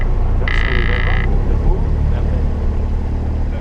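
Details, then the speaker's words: Aircraft engine idling at about 1000 rpm just after start: low, slightly lumpy chugging that idles a bit strangely but with no rattles; normal idle. "That sounds nice. We're not Yep. rattling or anything else."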